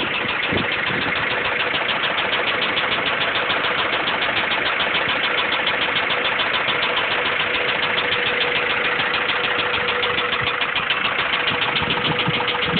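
Petrol engine idling with a steady, rapid knock of about three per second above the engine note; likely bottom-end, but unconfirmed.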